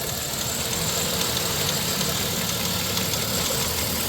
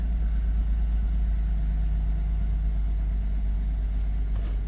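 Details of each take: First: 1997 Dodge Grand Caravan SE, abandoned 4+ years, unknown mileage, idling after a test drive on a replacement transmission: faint light ticking about three per second; owner suspects the tensioner or valve train, unsure, and thinks it sounds minor. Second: 1997 Dodge Grand Caravan SE, abandoned on a farm 4+ years, restarted the day after engine and used transmission install: deep, smooth, even idle with no knocks or misses; no smoke, oil light out, good exhaust pressure so cat not clogged; normal idle.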